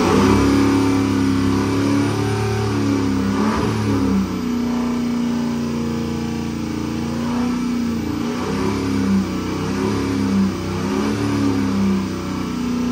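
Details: 2005 Ford F250 6.0 Powerstroke, oil hot, crank-no-start-hot case, ICP duty won't exceed 70%, IPR suspected: held revs rise and fall in slow hunting pattern; engine surges when revved, cause unconfirmed.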